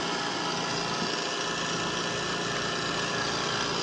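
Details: Trane 5-ton R410A condenser made 09/2020, compressor previously wouldn't start, just after hard start kit installed: even steady hum and fan rush, no knocks or rattles; compressor running normally at 19 A against a 20.8 A rating.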